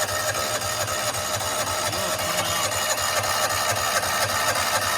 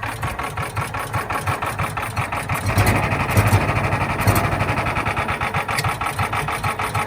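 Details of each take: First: John Deere Gator 4x2, unrun for years, with a spare vacuum fuel pump fitted: even starter churn about four beats a second, never firing; fuel seen but weak, nothing felt at the vacuum hose; weak vacuum pump starving fuel. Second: John Deere Gator 4x2, not started in years, with a new fuel pump, started on choke: small single-cylinder engine catches after a brief crank, then settles into a steady quick putter with no knocks or misses.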